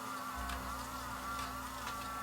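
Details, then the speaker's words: Emerson VCR4003 mono VHS deck, totally non-functional, powered on. A steady thin motor whir with a faint buzz keeps running as the mechanism turns left; the owner assumes a dirty mode switch. "it's turning to the left here so i'm assuming that maybe the mode switch is dirty on this one"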